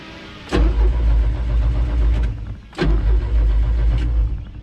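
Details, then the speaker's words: Old Mercruiser 120 sterndrive boat on its water test at about 5000 rpm, doing laps: strong, steady low drone held at high revs with hull slaps over it, no misses or surging; pulling well under load. "now the boat is ready for its water test we were able to get it up to 5000 rpms and get a pretty good weight going did a couple laps and headed back in"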